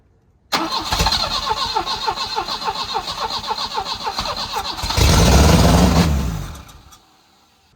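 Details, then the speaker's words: 1984 Volvo 244 GL pulled from the woods, fuel injection deleted for a carburetor, temporary exhaust: starter grinds, engine catches and roars briefly, then dies when cranking stops; owner suspects grounding through the starter or bad wiring. "It seems like it's grounding out through the starter, maybe. Because when I let off the starter, it shuts off. Where if I keep the starter running, it'll run."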